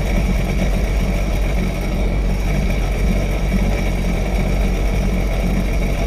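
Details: Sea-Doo jet ski dewinterized after winter storage, running on the flushing hose: strong, steady engine note holding even with no knocks or misses; healthy.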